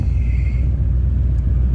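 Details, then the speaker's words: Corvette 350 5.7 L V8 (245 hp), oil pressure 64–65 psi and coolant low, blipped once: a deep, smooth, even V8 rumble with no ticks or misses; normal idle. "Man, let's hit that gas pedal one time. She sounds good. She sounds damn good."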